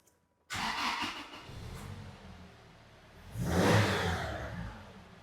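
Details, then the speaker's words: 2006 Toyota Tacoma 2.7 with P0171 lean code, cuts out as if out of fuel despite new fuel pump and Hitachi MAF: cranks, catches, idles and revs fine with the MAF unplugged on default strategy; MAF fault suspected, not confirmed. "It's using a default strategy. So it's not using the mass airflow now. And it's running fine."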